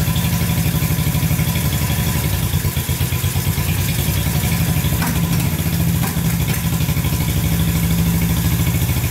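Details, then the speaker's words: Barn-find Honda CB350 twin (listed as 1970 or 1974), revived after years sitting, warming with both pipes hot: steady even low idle thump with a little roughness, both cylinders firing, no knocks. "but uh yeah we put more gas down it and uh both both are running great"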